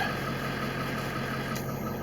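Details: 2000 Ford F-350 with 7.3 Power Stroke diesel after fix for starting and dying and erratic idle, air still being purged, ICP around 550: steady low even idle rumble with no hunting or surging; normal idle.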